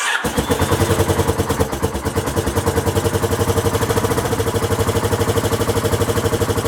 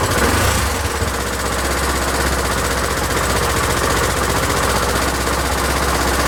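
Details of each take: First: Honda XL1000 Varadero first start after rebuild: catches right away, smoky, loud uneven chuffing idle about 150 beats a minute; rough from exhaust blowing at a missing clamp on the other side. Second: Honda XL1000 Varadero V-twin restarted after rework, idle speed raised since it ran low and kept cutting out; now holds a steady, even idle with a regular low pulse, no stalling or hunting, running a lot better: normal idle.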